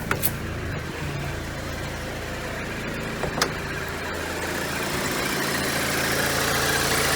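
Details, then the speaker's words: $500 VW turbo Beetle, air-cooled, just started after battery revival and wiring repairs, warming up: even, steady, quiet putter at a settled idle with no knocks, misses or rattles; runs well. "nice and quiet though all right well it sounds like it ran good"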